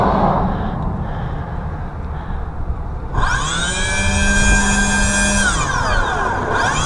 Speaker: pretty loud huh oh yeah that's pulling a good vacuum now